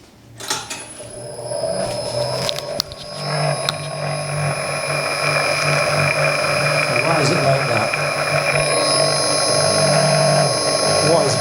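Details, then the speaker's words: Clarkson Mk1 tool and cutter grinder motor, first run after fitting new bearings. Steady hum with a rough, pulsing buzz and vibration. Loosening the end caps made no difference, and the rotor was suspected out of balance; the cause was the end bells being swapped over. "I've loosened off these end caps. Doesn't make any difference. It's got a vibration going on."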